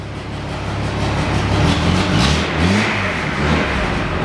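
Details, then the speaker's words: Datsun 240C six-cylinder with misfire, after fitting new spark plugs (dead plug found), exhaust leak remaining: engine picks up cleanly, pitch climbs and falls evenly without stutter or popping, all cylinders firing. Normal revving. "I think that's actually good. Now it's just an exhaust light. Come on. Well, there you go. It was dead plug."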